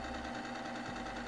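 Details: E-bike chain lubricant on a lubricant test machine, after a brief initial scraping settles: steady, even mechanical hum with a constant low tone and no knocks or grinding. Normal steady running.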